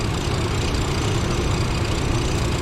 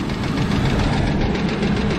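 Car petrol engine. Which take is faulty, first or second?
second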